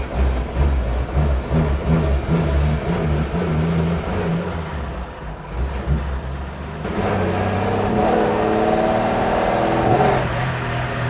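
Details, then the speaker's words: Old Chevy truck after an HEI distributor swap, driving: a violent misfire that drops out unevenly and doesn't clean up with rpm under load. Switching on the electric fuel pump changed nothing. It started after the ignition module died; the owner plans to fit the other module. "It doesn't clean up with RPM either. This is weird. So far, reliability was not upgraded. Obviously, we got a bad miss."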